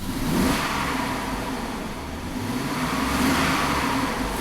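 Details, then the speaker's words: 2001 GMC Sierra V8, power-braked under load at normal coolant temperature: the engine sounds uneven and surging, with poor throttle response. Bank 1 reportedly misfires under load, all oxygen sensors read rich, and short-term fuel trim is about −10%; cause undetermined. "Power brake it a little bit. So that throttle response is really crappy."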